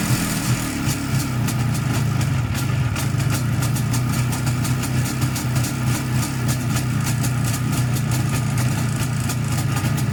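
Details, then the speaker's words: 1987 IZh Jupiter 5 two-cylinder two-stroke motorcycle running with sharp metallic ticking and ringing; owner suspects piston group, wrist pin or crankshaft, possibly also noisy primary chain; top end to be removed for inspection. "А работает он не совсем хорошо, что-то в нем звенит. Вот хочу сейчас разобрать поршневую, узнать, что в нем звенит."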